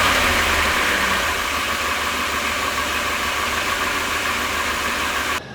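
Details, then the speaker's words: Van engine with doghouse removed: sharp hissing suction when the throttle is snapped instead of a clean pickup, lopey low idle; vacuum leak suspected, smoke test to follow. "You'll notice that uh low idle. It can get a little bit lopy at times. If I crack the throttle really hard, you can hear that sharp suction instead of a smooth acceleration."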